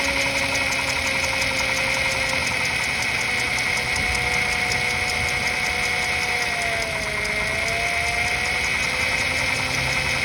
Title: Honda accord j35 knocking noise ?